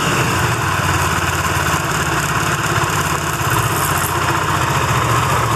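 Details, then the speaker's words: Benelli TNT25 250cc single-cylinder idling, after three mechanics failed to find the cause: fast, light metallic rattle over the exhaust beat, like a loose nut, heard loudest near the camshafts; cause unknown. "suena como que si tuviera una tuerquita suelta dentro una cosa así"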